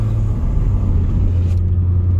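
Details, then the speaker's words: 1993 BMW E36 318is test drive after rear wheel bearing and thermostat housing gasket replacement, engine warmed, temperature gauge mid: low steady road rumble with raspy exhaust drone from holed exhaust, no bearing hum or growl; bearings quiet. "Mais on n'a plus de bruit de roulement. Non, et ça c'est un vrai plaisir."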